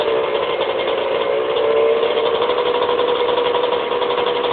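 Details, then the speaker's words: 1991 Suzuki RM125 two-stroke after fixing bogging by adjusting idle screw, float height and fitting smaller 330 main jet plus needle height: crisp, steady buzzing idle with no bogging or dying out, running cleanly. "um yeah it's actually running pretty good now I'm going to start it up for you guys real quick"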